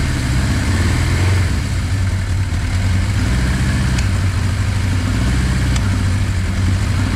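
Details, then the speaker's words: Suzuki GS850G motorcycle, long-sitting auction bike, first start on 91 fuel with choke, oil low; deep, uneven loping idle instead of a smooth four-cylinder beat, the two inner cylinders not firing. "all right let's try it again L warm [Music] up it's not r on the two inside [Music] [Music] cers"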